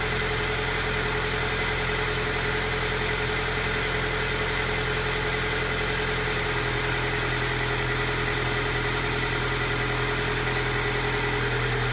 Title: Alfa Giulia cold start rough idle